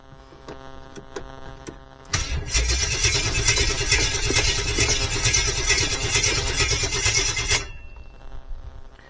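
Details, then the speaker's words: 1972 Jeep Wagoneer carbureted engine, no transmission installed; brisk, even cranking about five seconds with no firing, fuel pump not heard running; crank no start, no fuel. "sounds pretty good I don't hear the fuel pump running so that may be part of our issue right now"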